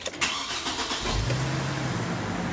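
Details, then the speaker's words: Brief quick crank that catches almost at once into a smooth idle on a 2007 Chevy Trailblazer 4.2 after a weak battery was replaced. Normal engine cranking. "a lot quicker crystal start time there so that's good"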